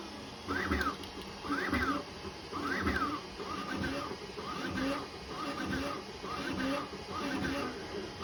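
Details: FLSUN V400 3D printer after lubricating the carriage roller bearings with 3-in-1 mineral oil, test at 400 mm/s: fast even buzzing sweep about once a second with no clicking; carriage runs smoothly.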